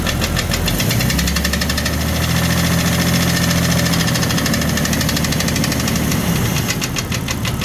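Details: 1999 Jeep Cherokee XJ, 257k miles, broken piston skirt: loud, sharp piston-slap tapping about three to four beats a second at idle. It began after a boost-pack jump-start, stayed after warm-up in 20–35°F winter, rose with rpm, and oil pressure was fine.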